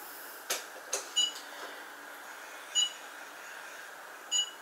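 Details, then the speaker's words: Kokoon Protect KAPM72 egg-shaped CO2 sensor on a desk: short, high-pitched single beeps about every 1.5 seconds in a quiet room, warning that the CO2 level is too high; 400–1000 ppm counts as good air. "Alors vous entendez le petit bip, c'est lui, hein, c'est lui qui dit attention, ton taux de CO2 est un petit peu important, un petit peu trop important."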